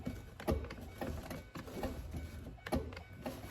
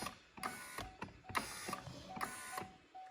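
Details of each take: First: 2005-13 C6 Corvette driver-side door, new window regulator installed, panel and connector on: faint, unevenly spaced motor ticks with no steady winding hum; regulator seized and won't travel, new regulator later also failed to move when bench-tested. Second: Driver-side window regulator on a C6 Corvette, ignition on, regulator tested out of the door after freeing a stuck slider: short whirring motor with light cable-drum clicking, moving freely without binding; normal operation.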